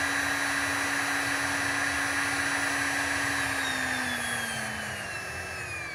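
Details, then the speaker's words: Brushed electric motor running unloaded, speed dropping: smooth whine with light brush hiss and commutation noise plus its internal fan, pitch sliding down, no knocks or grinding; healthy motor. "now there there's no load on this thing so it's not making any noise um for that but it does have a little fan inside and it does have you know the commutation noise"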